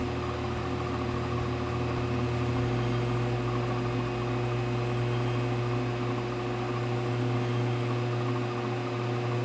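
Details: Faceting machine polishing pre-polished Madeira citrine P1 tier at 42.3 degrees on a cerium oxide lap: steady, even motor hum with low drone, no knocks or scraping; lap spinning smoothly.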